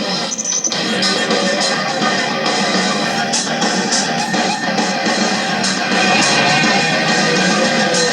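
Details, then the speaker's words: Vintage 1950s-jukebox-style AM/FM radio cassette player, after its drive belt was boiled 15 minutes in hot water because the transport wouldn't turn: music plays steadily with no dragging or speed wobble; normal cassette playback after repair. "Belt boiled for 15 minutes in boiling hot water. Tape goes in. Tape works."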